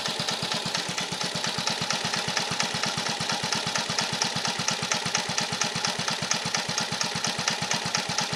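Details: 1950 REO small engine, freshly revived, carburetor adjusted down to a very low idle (these reportedly idle real low): slow, even pops about 86 a minute with light clatter, steady and unhurried; healthy low idle.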